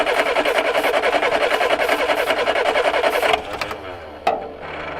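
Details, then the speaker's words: Car that had sat almost 30 years, primed with starting fluid: starter churns steadily about three seconds then stops without the engine catching; cranks but no start. "Went and got some of the juice of the gods. See if we can't encourage this to take off."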